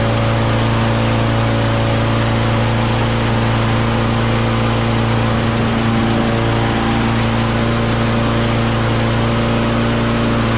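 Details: Self-propelled lawn mower with oil and a little gas, primed before starting. Steady, even drone at one pitch with no misses, knocks or surging; runs clean.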